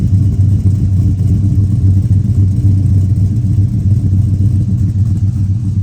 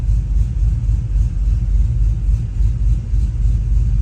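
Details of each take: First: Finished Chevy Silverado 1500 5.3L with Chopacabra cam, Speed Engineering long tubes and 3-inch single exhaust, 23 degrees timing: deep steady V8 rumble with choppy lope about four pulses a second, idling smoothly; normal idle. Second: Cammed Chevy Silverado 1500 5.3L (Chopacabra cam, long tubes, 3-inch exhaust), warm at 181 coolant, closed loop: deep loping idle chopping about four pulses a second, slightly uneven as ignition timing jumps; over-under idle speed correction needs adjusting to steady it.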